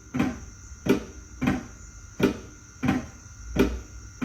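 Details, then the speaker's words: Xenon headlight, passenger side, with high beams switched on: the beam shutter flap clunks about every 0.7 seconds and the light flares bright on high beam while low beam works, from cross-shorting in the headlight harness or headlight; loose connector and deteriorating wire sheathing noted. "Same noise, but the low beam works, and then when you hear the noise click, you see the light get really, really bright. That's the high beam. So we definitely have some cross shorting going on inside of this harness or this headlight."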